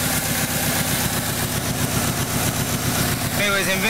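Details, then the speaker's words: Subaru with 243,051 miles at idle, running on a battery booster: steady light knock about 2.5 per second over the engine, not heard when just cranking; owner unsure of cause, suspected piston slap. "I have no clue what the hell that sound is but it's not as loud now it was doing it at idle"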